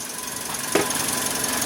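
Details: Toyota Vios after 2-day engine overhaul/refresh with cleaning, no oil warning or check engine light; steady, even idle at 700-750 rpm with no knocks, misses or hunting, healthy and settled.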